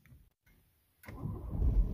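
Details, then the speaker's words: Ford Focus/Fiesta with stop-start: two dull starter clicks, a pause, then the engine catches and starts, an intermittent no-crank worse in wet or damp air, caused by a bad connection at the starter motor. "the click the dunk dunk dunk and it won't start but yeah if you keep hitting the button repeatedly you can get the car to start"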